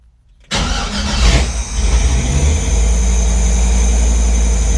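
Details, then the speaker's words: LS-swapped Chevy C10 with ACES Jackpot 2 fuel injection, first start, untuned and running very rich; catches after a short crank and settles into an uneven, loping, hunting idle: rough running; owner suspects vacuum leak, not confirmed. "It almost sounds like it's got a big vacuum leak or something. Why would it sound like that?"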